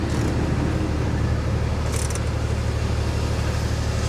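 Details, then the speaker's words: Salvage-auction Corvette convertible that appears to have sat a while: rough, uneven idle with stumbling low beat outdoors; misfiring badly, cause not found. "oh misfire misfire bad yeah she's misfiring pretty bad guys"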